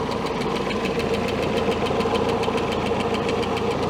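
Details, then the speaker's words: 1967 Starcraft Holiday boat with a 120hp Mercruiser four-cylinder (Iron Duke), timing set at about 8 degrees: steady idle with a light top-end tap from one cylinder, suspected stuck lifter or misadjusted valve lash. "Still got a tapping noise up in the top end. I might have to check that out. It could be a stuck lifter."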